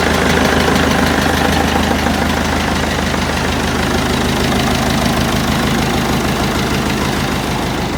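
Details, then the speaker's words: Freshly rebuilt Massey Ferguson 165 diesel tractor at idle: steady, even rumble with no knocks or misses; starts nicely, runs sweet and is more nippy after the engine rebuild. "she runs nice and she drives nice she's a hell of a lot more nippy now"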